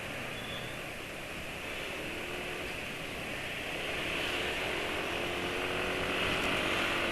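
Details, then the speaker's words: Motorcycle engine on Castrol oil with a little bemoli and a sachet of Sado Revitalizan, briefly reconditioned: even, steady hum with a light hiss; the earlier engine knocking is no longer heard and it runs smooth like new. "Wah suara halus enak gini ya kalau lagi pakai sado terus direkondisi sebentar gitu, pelotakan mesin nggak kedengar lagi, halus kayak anyar."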